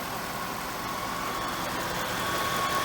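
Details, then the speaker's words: 1997 Oldsmobile Aurora 4.0 litre V8 at idle, even steady smooth quiet running with no knocks, ticks or misses, nothing weird going on. Normal idle. "there's that smooth quiet running 4 litre v8 your note it's nothing weird going on"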